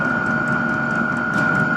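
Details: Cheap diesel air heater in a VW T4 Syncro van, refitted with a smaller 22-microliter pump in place of the oversized 65, smoke now nearly gone. Even, steady hum with a constant high fan and pump tone, no surging or sputter; running normally.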